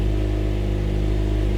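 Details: 2010 Honda CR-V after fixing the EVAP purge valve for P0171 lean code: steady, even low idle hum with no misses or surges; fuel trim now around −3%, down from about 46–49%.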